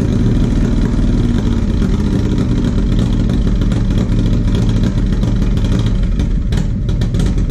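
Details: 1994 Harley-Davidson FLHR Road King, original 80-inch Evo with a CV40 carburetor: uneven V-twin beat hesitates and drops pulses on light throttle, a stumble and misfire from a carburetor issue, before correction.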